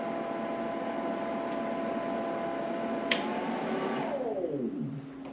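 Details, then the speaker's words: Classic VW under-dash AC unit blower, tested after cleaning: a smooth, steady fan hum whose pitch slides down as speed is turned back, much quieter now that it is clean; runs normally at each setting. "okay so we're gonna go to one much quieter now that it's clean [Music] so we can hear it get quieter and louder"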